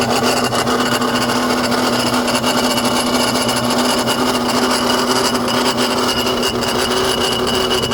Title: n54 grinding noise. AC maybe?